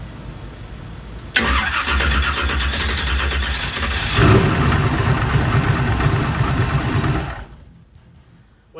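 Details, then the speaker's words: High-compression big-block drag car with a mechanical fuel pump, cranked on a not-fully-charged 16V 2500-cranking-amp lithium battery: a brief crank, then it catches to a loud, lumpy idle. The owner is surprised, since it usually won't start. Normal cold start. "I did not expect it to start no it's in part how'd that thing start it don't never start ha well maybe it's fixed"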